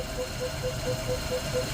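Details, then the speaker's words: 1951 Ford F1 pickup, revived after sitting 20+ years with a rebuilt Holley 94 carburetor, new in-cab tank, fresh oil and a new U-joint. It idles evenly with a steady low rumble and a light regular pulse, running smooth. Slight smoke is thought to be oil burning off or moisture. "Thing runs smooth. I think it's just burning off some oil in the exhaust."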